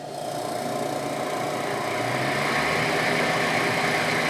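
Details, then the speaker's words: Miller 330 A/BP TIG welder with cooling fan running and coolant flowing; steady whir with fast even chatter, rattle from dry ungreased fan motor bearings. "already you can hear the chatter we have water flowing so I don't know if you can hear it but it's got a kind of a a rattling sound"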